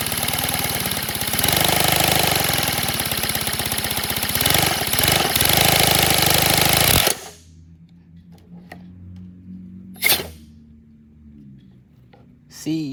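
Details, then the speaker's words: Redesigned 157cc inline twin compressed-air engine, 3D printed, run slow: a fast, uneven clattering of about four knocks a second, then a dead stop; uneven knocking, and the owner fears a broken connecting rod or melting part, unconfirmed. "I don't want to see my connecting rod broke or something. Or like something's melting."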